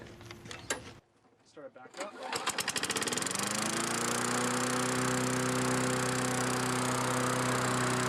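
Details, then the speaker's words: Free Tecumseh mower after tune-up, new aftermarket carburetor and governor bracket bent to lower speed: recoil pull, catches, steady fairly high-pitched drone; still runs slightly high, better than before. "does seem like it's running a little high still but not nearly as bad as it was"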